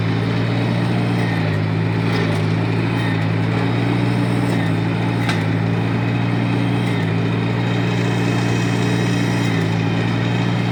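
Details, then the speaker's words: 1953 Farmall Cub tractor after the squeal fix: steady even beat, clean drone, high-pitched squeal gone; normal running. "thank you for all this week sure has gone that high-pitched wheel that we heard squeal that we heard earlier is certainly gone"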